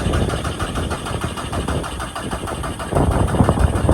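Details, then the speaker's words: VW Caddy pickup with a 1.9 TDI PD130 diesel and a new starter motor. It cranks briskly and evenly, far quicker than the old starter, but never fires: a crank no-start. "it cranks a lot better sounds completely different now obviously with a with a new starter motor the old one would just take ages and ages and ages what a difference but it's still not"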